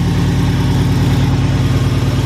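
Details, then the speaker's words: Supercharged 3.7 V6 Mustang with a GT500 M122 blower, just after a new throttle body and cold air intake, started cold; a rough, lumpy idle with popping and banging, possibly from fuel that has sat a while; cause unconfirmed. "i'm gonna let it warm up stepped on a screw during all that but now it's popping and banging but it could be that this gas has been sitting in there uh for a little bit"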